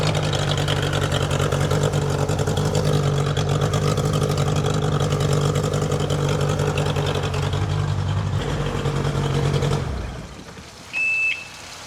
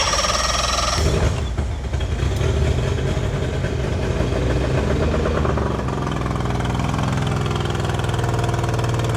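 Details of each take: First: Outboard engine swapped onto a customer boat: even beat for several seconds, shuts off, then restarts instantly warm and settles steady; good hot restart. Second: Outboard engine just swapped onto another boat, fuel just primed: uneven lumpy firing with irregular knocks, then steadier beat; rough running, cause unknown; later hot restart was good.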